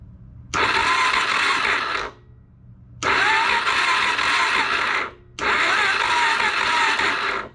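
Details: Non-running 2004 Suzuki DRZ400, battery fully charged: three long bursts of steady starter cranking, about one and a half seconds each, engine never catches; cranks but won't start (later found spark present, only ~25 psi compression).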